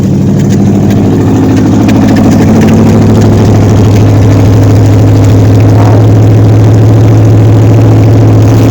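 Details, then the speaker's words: 1953 Ford Customline with a swapped-in 350 Chevy V8, carburetor found bad out of the box: loud, steady but fast idle that never settles; cause unclear, with a wrong rocker adjustment or a vacuum leak at the carburetor's rear line also doubted. "I have no idea why it's idling high. I sincerely doubt it."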